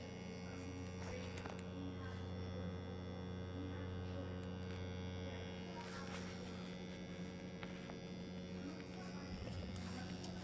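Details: Aromatech diffuser: constant low mains-type hum with a steady buzz over it, unchanged throughout; an abnormal noise of unknown cause, with liquid left in the jar for weeks.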